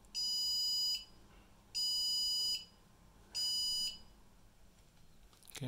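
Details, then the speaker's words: ASRock H110M motherboard with no RAM installed: long, shrill beeps repeating about every second and a half, the no-memory beep code with no display; it boots once the RAM is fitted. "Jika tidak ada rem, maka akan bunyi seperti ini ya."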